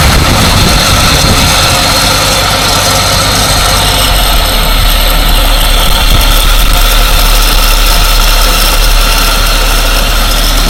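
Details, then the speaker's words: 1947 Dodge six, once started after carburettor and choke work, warming up: steady even idle with smooth low rumble, no misses, knocks or hunting; no sign of a major air or vacuum leak, normal idle. "the fact it runs so well once it starts it just wouldn't do that if there was a major problem with an air leak a vacuum leak that's what we like to hear"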